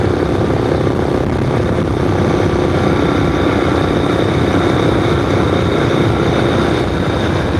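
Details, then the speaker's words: Finished GY6 four-stroke scooter project: steady, even drone with no knocks, rattles or misses. Normal running. "Yeah, the scooter is running good, guys. I can't see anything wrong with it so far."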